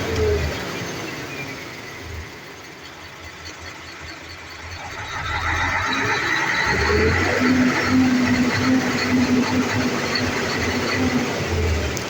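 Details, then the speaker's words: Mercedes-Benz Actros V6 diesel at idle: rpm swells and sags over several seconds instead of holding steady, also hard starting; hunting caused by faulty injector nozzles with non-uniform atomisation and electronic unit pumps. "in case you experience this kind of problem with your diesel at engine whereby your RM is fluctuating or moving up and down simultaneously this this indicate that your injector nozzle atomization of fuel to the combustion chamber is not uniform"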